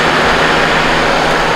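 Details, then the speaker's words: 1985 Honda Goldwing GL1200 after carburetor rebuild, warmed to operating temperature with fans cycling: steady, even engine roar, no knocks, misses or squeals; water pump weep-hole coolant leak noted but not overheating. Normal running. "other than that the engine sounds good I went through the gears"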